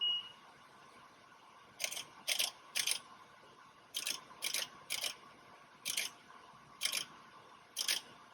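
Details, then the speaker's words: Pro-Cut PFM X9 on-car brake lathe automatically compensating to a spinning hub, car in neutral with the opposite caliper off: sharp dry adjuster clicks in small clusters, about nine over six seconds. This is a normal cycle, with final runout reading 0.4 ten-thousandths. "so it went through the process you can hear it clicking those adjusters making those adjustments and then it gives you a final readout here"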